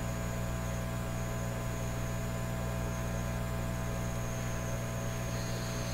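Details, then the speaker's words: Canadian Admiral J104X/J105X console tube amplifier after removing grounding capacitors, oscillation still present at a different frequency on each channel through the output transformers: steady low hum with an unrelenting thin high whistle; humming and oscillating. "so I took those those grounding capacitors out but the oscillations are still there clearly coming from two different frequencies from each Channel so I'm going to squeal in a way"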